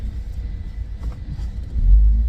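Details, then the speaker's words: 2008 Opel Zafira B 1.8 petrol: low, steady droning hum under road rumble while wheel turns, only on right side, not on left, felt in steering wheel; worn front right wheel bearing. "вот этот звук правый Я же говорил правый а слева так Не гудит только справа"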